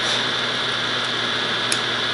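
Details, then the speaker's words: Teletype ASR 33 paper tape reader running after its relay contacts were remounted: steady, even mechanical whir and hiss without faltering; normal tape reader operation. "with a little bit of luck now we should hear the real a latch latch and lash latch and latch okay so that is promising"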